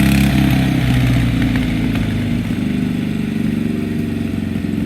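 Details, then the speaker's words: John Deere D105 mower repowered with a Kohler Magnum Twin 16 while mowing: engine chugging, speed sagging and not holding even; owner suspects the governor is out of whack, though it runs and idles down fine. "The governor seems out of whack, but it's running fine otherwise."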